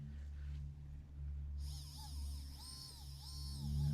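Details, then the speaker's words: Hobbywing Fusion RC crawler motor after repair, powered from a 3S battery through the receiver: over a steady low hum it spins up with a clean rising and falling whine in smooth even bursts, running normally. "And hopefully you can hear that and that is running. So I will take that as a success."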